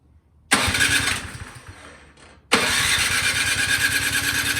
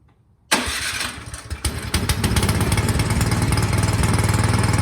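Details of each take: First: 24-inch Craftsman snowblower that sat all summer with gas in the tank, electric start, full choke, after priming with no gas heard entering the carburetor: two long even cranking bursts, never catches; fuel-starved carburetor, cleaning it fixed it. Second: 24-inch Craftsman snowblower that wouldn't start after sitting all summer with gas in the tank, after carburetor cleaning and reassembly: electric starter whirs, engine catches within a second and settles to an even single-cylinder putter; normal start and idle.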